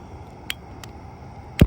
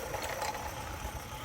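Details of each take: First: Accucraft Ruby live steam locomotive gas burner being lit: one sharp low pop among light clicks; flame not sitting at the back of the burner, which can damage the engine. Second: Accucraft Ruby live steam locomotive hauling cars on a loop: soft busy steam hiss with faint low puffing, no knocks or scraping; running normally, perhaps a little fast, slowing on curves.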